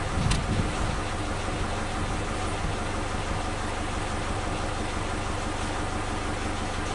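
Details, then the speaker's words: Suzuki Katana engine on point ignition, old spark plug wires refitted (firing order 1342) as a check: uneven idle with pops and slight RPM dips, confirming the fault; misfire from worn spark plug wires. "Kita lihat RPM-nya. Nah, itu ada turunan sedikit. Oke, berarti sudah fix adalah kabel businya."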